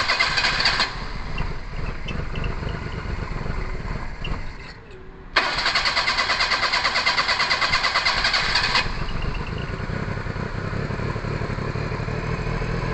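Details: Perodua Kancil after a carburettor change: starter churns at about three beats a second for many seconds and the engine never catches, a long crank with no start. Owner suspects timing needs adjusting, possibly valves, and checks carburettor fuel delivery.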